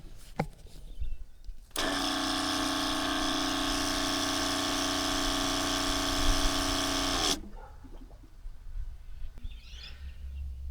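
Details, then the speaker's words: Factory water pump in a Crusader caravan, heard from outside the van with a tap running: steady buzzing hum for about five seconds; noisy pump, louder inside, owner suspects hoses touching the van transmit vibration. "I think outside, I mean, it's still noisy. Water pump's not going to be silent, but it still feel like it was noisier inside."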